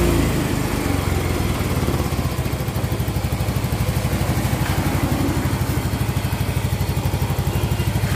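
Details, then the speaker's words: Mio GT125 scooter after cylinder liner replacement with Vario 125 FI piston fitted, started after reassembly: settles into an even idle with clean regular pulses, no knocking or rattling; smooth, healthy normal idle. "cukup halus teman-teman ya cukup halus tidak ada benturan sama sekali"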